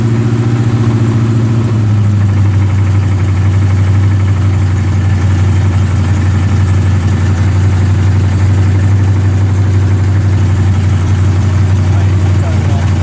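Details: 454 V8 at idle with a heavy, uneven knock about three times a second under the exhaust rumble, loud when driving. Rod knock or broken flexplate is suspected, cause unconfirmed.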